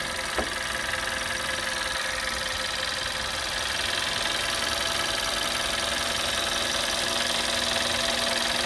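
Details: 2011 Audi A3 8P 1.4 TFSI at warm idle: steady, busy ticking clatter of about 160 a minute over a thin, high-pitched hum; strange engine noise whose source can't be pinned down by ear.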